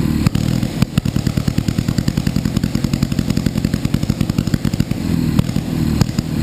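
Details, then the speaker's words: Panhard first start: rough, uneven pulsing beat with clattery firing, throwing flames and oil; engine revs up by itself, idle not holding steady. "γιατί κάνει όταν μαρσάρει μαρσάρει και από μόνη της"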